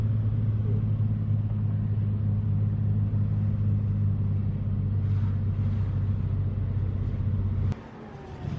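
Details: BMW E30 project car just back on the road after drivetrain, polyurethane transmission mount, driveshaft and wiring reinstalled, no hood: deep loud rumbling with uneven low-rev throb; exhaust not fully fitted, big exhaust leak.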